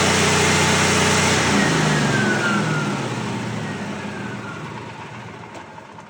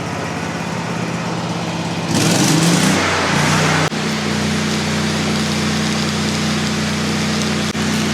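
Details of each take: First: Miller Bobcat generator welder, V-twin engine, oil last changed around 2016 but clean: even, gently loping idle that winds down smoothly, no knocks, rattles or major leaks; sounds healthy. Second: About 30-year-old Miller Bobcat generator welder (250NT/225NT) V-twin running on propane: brief surge then steady high-speed drone that never drops to idle; auto idle not engaging because set up wrong, current sensor to be checked.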